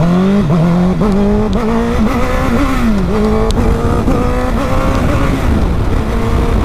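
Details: Honda CBR1000RR under throttle: engine note wavers and sags instead of pulling cleanly, bogging and power cutting out; caused by chafed coil wires shorting.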